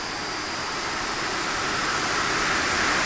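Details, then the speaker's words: Three-phase squirrel-cage blower fan motor driven by a VFD; steady rushing air roar swelling slightly, smooth, no knocks or rattles; normal full-speed run. "it's super smooth I mean it's vibrate a little at this rpm this 40 Hertz but pretty good"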